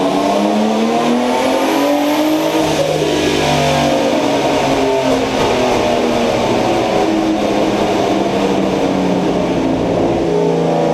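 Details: BMW E30 with turbocharged M50B25 six pulling hard with rising revs; note stumbles and goes ragged under load, a misfire when accelerating, cause unconfirmed.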